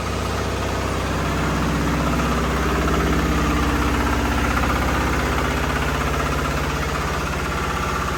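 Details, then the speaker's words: Chinese diesel swapped into a 1975 John Deere 300 modified for snow/winter use, started holding the decompression lever while cranking then releasing: steady even chugging around four beats a second, fires right up and idles cleanly. "So if I hold it and crank it and then I push it in, you'll see she'll fire right up."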